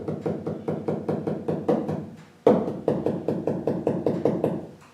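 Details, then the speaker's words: Land Rover roof panel tapped after fitting sound deadening mats: even taps about four a second give short dull thuds dying quickly; previously about 60 dB, now much quieter, panel well damped. "quite a difference even I can tell tapping away it used to be 60 DB but now it's quite quiet very nice indeed"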